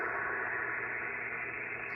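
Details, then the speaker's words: Pyramid PSV500 50 A switching DC power supply set to 13.8 V, heard through a ham radio receiver: steady loud hiss with faint buzz, switching power supply interference that appears when the supply is on. "I have it set at 13 .8 Vols that noise that you hear is the switching power"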